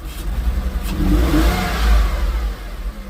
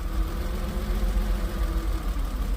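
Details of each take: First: Porsche after repairing mouse-chewed wiring, with several wires including possibly mass airflow sensor power still unconnected: engine blips up cleanly and settles without misses or knocks, though it dips at idle and wants to die. Normal revving. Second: Porsche after repairing mouse-chewed wiring, with four or five wires still unconnected: low, lumpy idle surging and sagging, still wants to die; lack of power to the mass airflow sensor suspected.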